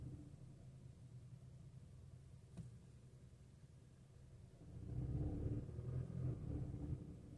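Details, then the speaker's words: Skoda Octavia 3, 1.5 TSI with DSG, in low gears (1st–4th) at light load: a quiet low drone, then a deeper booming hum swelling for a few seconds near 1000 rpm; low-gear rubbing resonance, cause unknown. "około 1000 obrotów jest taki rezonans."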